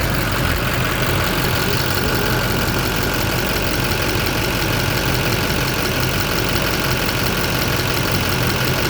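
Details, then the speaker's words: 2007 Chevy Silverado LBZ Duramax diesel idling after heater hose and nipple replacement: steady even diesel clatter with no misses or knocks. Engine healthy, hose no longer leaking. "And I'm gonna pull this off of here, fire it up, and make sure we're not leaking. All right, it's running."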